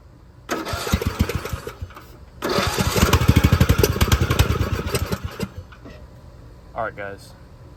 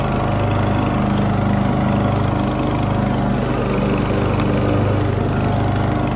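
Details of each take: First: Poulan XT gear-drive 42-inch lawn tractor fitted with a new aftermarket carburetor: two bursts of steady even cranking, about three per second, never catching; won't start because the fuel valve was shut off. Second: Poulan XT gear-drive 42-inch lawn tractor single-cylinder after new spark plug and adjusted idle and mixture screws on the aftermarket carburetor: steady, even drone with no misses, pops or surging; idle smooth.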